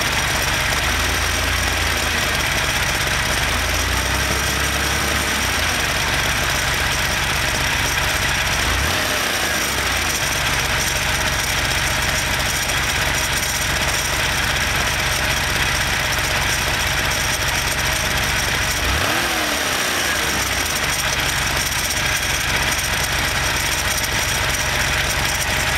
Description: This time I ran the rpms up to show how the ticking noise tends to go away at higher RPMs.